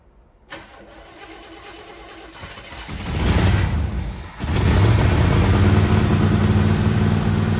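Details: Grandpa's 1974 Chevy C10 after sitting about 5 years, fed by an inline fuel pump from a temporary tank: cranks, catches after a couple of seconds, revs once, then settles into a steady even idle; runs fine.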